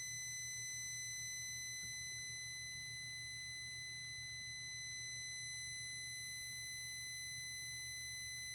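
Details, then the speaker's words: 2005 VW Passat 1.8T GLS, crank no start, fuel pump not priming, about 4 A draw with key on: rapid high-pitched beeping about four per second with an electrical shorting hum. Beep stopped when the airbag fuse was pulled; fault unknown. "when I turn the key on I can't there's the long deep very long beep I can show you guys at the very end of this video"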